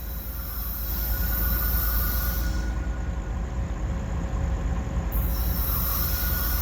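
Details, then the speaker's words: Florida East Coast freight train passing: a continuous piercing squeal over the low rumble of the cars, fading mid-pass and returning; source unknown. "What the heck is that noise? Isn't that a weird noise?"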